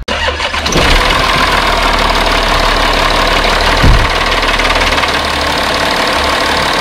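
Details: 2012 Audi Q7 diesel started after a flush and fresh oil change: brief crank, quick catch, then a smooth, even idle with no knocking or hunting; healthy start.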